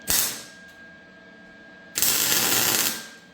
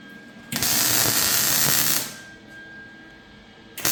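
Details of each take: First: MIG welding tacked c-notch on a chassis: short, ragged crackling bursts that stop and start instead of a steady frying buzz; suspected out of shielding gas, though the gas tank was new. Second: MIG welding a c-notch on a chassis after a sputtering gas problem was sorted: two steady frying-bacon bursts of about 1.5 seconds each, even and uninterrupted; gas and arc sound right.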